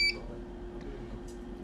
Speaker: as you can see it's still beeping it's closed very well tightly there's a paper in it at the right position by so beeping